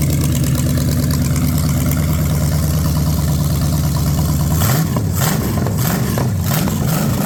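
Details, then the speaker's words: Ford 460 big-block from a neglected farm chore truck, first run on a gravity-fed lawn mower tank and the original mechanical fuel pump, no cooling system: an even idle and clean throttle blips. No smoke, no clatter, great oil pressure, later 40 psi warm. "Man, that's awesome. It's not smoking. No clattering or making funny noises. Great oil pressure."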